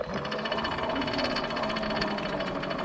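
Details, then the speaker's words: New electric adaptive mountain bike with redesigned seat brace and lift: fast rhythmic ticking over a light motor whine as the chain turns, the chain striking the lift brace, which needs to be redone. "that the chain is hitting the brace for the lift so I have to get that redone"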